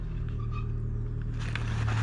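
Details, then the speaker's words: Fiat 500 idling, heard from four or five metres away: loud, droning low rumble with a raspy edge from underneath; noisy exhaust, attributed to the middle exhaust section. "So, I mean you can see like you know why I keep saying the the the exhaust was noisy but anyway um yeah I mean sporty you can call it like but anyway let's hear that."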